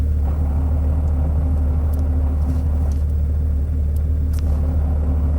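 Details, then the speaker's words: Porsche 911R (991, 4.0-liter 8500-rpm flat-six, manual) with optional lightened flywheel, idling as clutch is released; deep steady idle rumble with scattered loose rattles, normal gear-lash rattle because the light flywheel can't damp crankshaft vibrations at idle. "this car also has the optional lightened flywheel which isn't heavy enough to damp the crankshaft's vibrations at idle so when i let my foot off the clutch transmission is going to spin up but you're going to hear all the gear lash"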